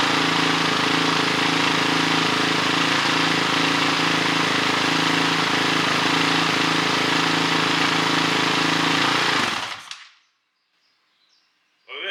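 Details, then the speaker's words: 2006 Honda CRF450X with a CRF450R top end, first start after a rebuild, idle screw adjusted up: steady, even single-cylinder idle with a crisp exhaust beat and no misses or knocks, then shut off. Normal idle, slightly smoky from rebuild residue burning off. "That sounds pretty good."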